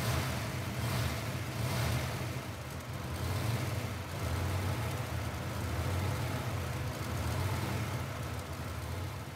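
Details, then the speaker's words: V8 car after the intake was removed: it settles into a smooth, even low rumble with gentle blips and no stumble or skip. It is running great with no misfire. "as of right now car's running great it's not misfiring nothing"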